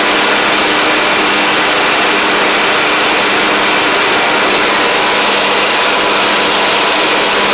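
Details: Troy-Bilt Pony riding mower after an engine swap and head gasket replacement, restarted to compare smoke: small single-cylinder runs at an even, steady speed with a constant hum, no knocks or misses; sounds healthy, still smokes slightly at startup.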